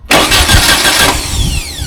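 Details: VW trike after a new starter install to cure an earlier slow crank: quick, brisk cranking for a couple of seconds with even beats then a whirring spin-down; starter sounds strong and healthy.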